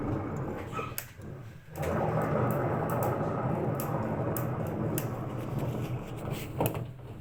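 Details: Hotpoint washing machine drum bearings worn out, giving a steady low rumble with scattered clicks; spider and drum found intact.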